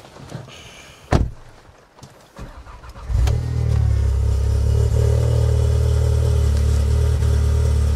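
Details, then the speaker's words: Forged Audi S3 8V collected after five months, in atrocious weather, before a dyno day. Quick crank into a strong, steady low idle with no knocks; sounds and drives like stock. "And like I said, just sounds like stock. Yeah. Drives like stock."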